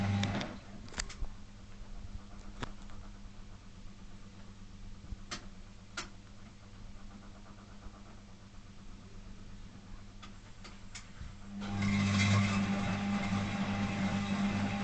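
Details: Zanussi FL1012 washing machine on Program D (fast coloureds, heavy soil, 60 °C): steady hum with scattered clicks, then loud rough grinding as the drum speeds up, worsening over days; not apparently from the drum, owner unsure if worn motor brushes or motor fault.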